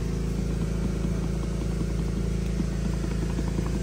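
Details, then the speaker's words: 2005 Chevy pickup idling while the suspension is rocked by hand, light knocks about three or four a second, before new suspension work. "you could move it and see if you hear the little knocking noises yeah like that"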